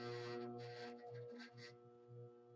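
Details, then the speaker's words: HVAC furnace blower motor failed after water in its bottom stopped the wheel turning; the capacitor is good. When powered, a steady low electrical hum with no spin-up: a locked rotor, the motor seized. "there should be a humming coming through um hopefully you can hear that and basically the the the motor is not running"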